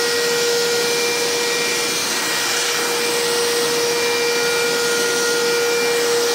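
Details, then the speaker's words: Karcher WD 3 vacuum cleaner after clearing a clog from running without a filter, which had caused vibration and a droning noise: strong steady high whine with even airflow, no drone or wobble; it runs clean and powerful. "बहुत जबरदस्त तरीके से काम कर रहा है और अच्छा पावरफुल है"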